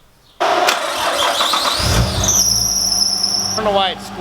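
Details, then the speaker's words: Nissan R33 RB25 after auxiliary belt change: engine starts with sharp steady high squeal, new alternator belt slipping and possibly needing more tension; retightened, much better. "possibly needs to be tighter temp number 2 starting just tightened up the alternator belt again much better"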